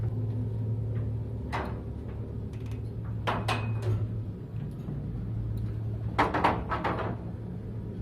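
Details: Elevator knocking while travelling: steady low motor hum with irregular heavy knocks and bangs as the car moves; worn counterweight shoe liners rattling in the rails, lower ones worse, liners replaced to quiet it.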